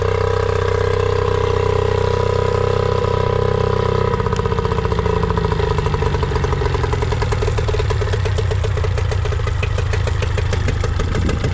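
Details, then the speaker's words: Nissan 18 hp two-stroke remote-start outboard after carb and fuel filter cleaning: idle steady then turns ragged with wandering speed; accelerates fine but idle inconsistent, idle pilot/mixture screw suspected. "update on this Nissan 18 horsepower so we clean the carb and it runs and it accelerates right but the idle is inconsistent the RPM that idle"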